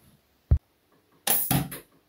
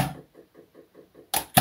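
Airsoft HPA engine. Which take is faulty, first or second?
first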